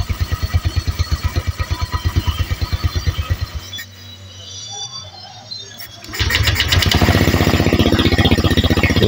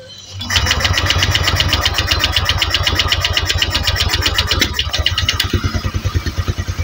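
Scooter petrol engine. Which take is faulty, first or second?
second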